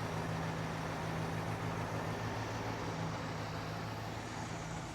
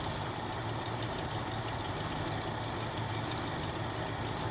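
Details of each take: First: 1966 Jeep Gladiator, first run in 24 years, idle turned back down, oil pressure about 20, coolant 150: quiet, even low hum at idle with no ticking or knocking; engine idling smoothly. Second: 1966 Jeep Gladiator running for the first time in 24 years, with the idle turned up while carburetor mixture screws are adjusted by flathead screwdriver: a low, uneven idle that wavers and stumbles rather than settling.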